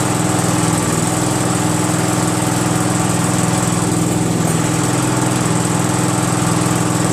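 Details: Craftsman GT6000 garden tractor repowered with a Briggs & Stratton Vanguard 16HP horizontal-shaft V-twin, start after swap with the tractor's throttle cable and breather piece fitted; steady, even drone at constant pitch, no misses or knocks, running healthy.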